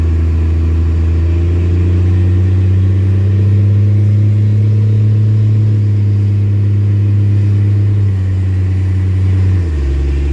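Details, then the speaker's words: Warmed-up Dodge diesel truck under way; a steady deep diesel drone, then a small step down in engine speed near the end as the torque converter locks up. Normal lockup. "There you go, torque converter lockup."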